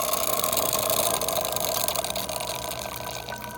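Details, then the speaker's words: Saeco Exprelia Evo after a door hinge replacement and full tune-up for a grinding/scraping noise, hot water function test: a steady pump buzz pulsing about four times a second with water hiss; normal. "well next we'll do the hot water function again okay"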